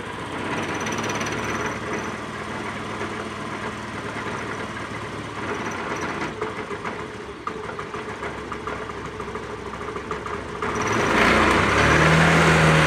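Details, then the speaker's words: Maestro scooter, cold start after standing overnight and warming up, before repair: steady idle with rough rattly buzz and shaking, handlebar vibrating. Engine vibration from broken CVT rollers. "यह गाड़ी है अब start है और आप देख सकते हो कि हैंडल अभी भी वाइब्रेट हो रहा है"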